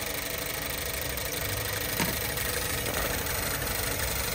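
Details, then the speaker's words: Boosted petrol car with ignition confirmed and coils working, new battery fitted: uneven idle with an irregular chuffing beat and intense noise, a misfire persisting on cylinders 1 and 4. "there is already ignition, so the coils are working, but unfortunately, there is an intense noise in the vehicle. there is a misfire now"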